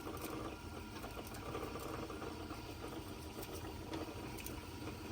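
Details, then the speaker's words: Sony TC-250 reel-to-reel tape recorder from 1966, rewinding: quiet uneven rattle over the fast-rewind whir, loose chatter in the tape drive; a drive belt then broke and needs replacing. "So, let's rewind the tape. And um Oh, yeah. I can hear that thing. It's rattling."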